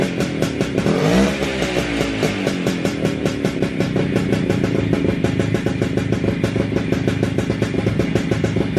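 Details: WSK 125 two-stroke, first start after engine rebuild: crisp rapid popping that blips up then settles into an even, steady run with no knocks or rattles; normal running.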